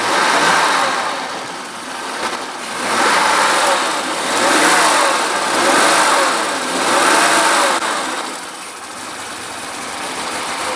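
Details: 1980s BMW E24 6-Series CSi, parked since 2001, running after the plugs were dried. Revs swell and fall unevenly with a ragged, stumbling beat and a raspy exhaust. Misfiring; exhaust has holes.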